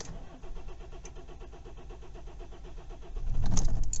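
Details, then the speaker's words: Kia Ceed/i30 CRDi diesel just after a fuel filter replacement, glow plug light on: starter churns about three seconds before catching. Slow start, possibly air in the fuel system; cause unconfirmed. "plug light is on that's not starting straight away though it's not starting straight away there either not starting at all"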